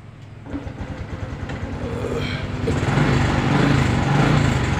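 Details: Honda Blade 125 fuel-injected motorcycle after fixing the neutral light and no-start fault, fuel pump priming: the single cylinder cranks and builds into a steady, even putter with no knocks or misses. Starts normally.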